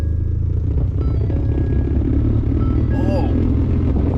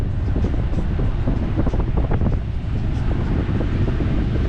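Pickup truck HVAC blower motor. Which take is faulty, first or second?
first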